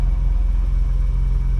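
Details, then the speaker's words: 1985 BMW 635CSi after installing a new Bosch ignition coil: steady, even low rumble at idle with no stumbles or ticks; idling smoothly. "Well, there, it started right up just like that."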